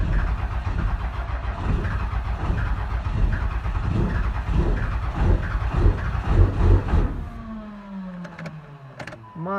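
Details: Cummins 12-valve diesel, 360k, about 30°F Michigan winter. About seven seconds of slow, uneven cranking, then it finally fires with heavy smoke. Hard cold start, owner checking cold-start electronics and battery voltage.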